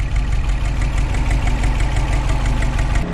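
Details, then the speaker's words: Subaru Impreza 2.5RS GC8 with swapped EJ205 engine, engine bay, no stored or pending codes: smooth, even low idle with a steady pulse; the radiator fan kicks in about three seconds in, adding a hum. Healthy running. "i just want to show you that the engine is working and this is a gc8 body"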